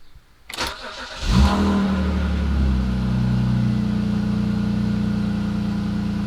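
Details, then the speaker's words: 2002 BMW 330i (M54) cold start after clearing codes and adaptations to fix rough running: brief crank, quick catch, then a steady, even idle with no knocks or misses. "that sounds all right so far but I don't want to speak too soon I've just started it and it's cold"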